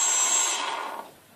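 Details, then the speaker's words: ZMR250 racing quadcopter with ESCs on the arms, tested after a crash-broken arm was replaced and motor wires were swapped to correct rotation direction. A thin high brushless-motor whine over an airy rush winds down and fades, spinning freely and evenly in the correct direction. "okay that's just making sure that everything is spinning correctly"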